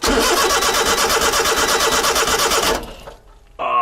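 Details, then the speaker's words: Honda Beat kei sports car after a new fuel pump install, fuel drained and refilled, pump pickup working: starter spins the engine in a fast, even chug with no firing at all, then stops; cranks but no start, owner suspects electrical. "come on turn over turn over turn over turn over give me something here"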